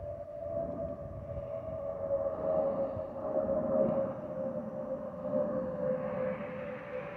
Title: 💛🖤💛Spirit Airlines Airbus A320-232SL N623NK NK734 LGA-DTW (FOPP whistling sound)💛🖤💛